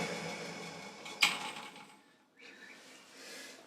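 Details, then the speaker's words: Boxford lathe electric motor, sluggish in cold weather, reconditioned; faint wind-down after switch-off with one sharp click about a second in, centrifugal switch disconnecting normally. "now when i switch it off after a second you'll hear the click which is the centrifugal force disconnecting the contacts inside the motor"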